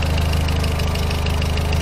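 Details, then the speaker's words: VW Voyage G5 1.6 at idle after lambda sensor replacement: light, quick, even ticking over the engine note, hydraulic lifters tapping; engine no longer shaking, acceleration improved. "esse barulho aí é de barulho dos tuchos mesmo tal mas o carro"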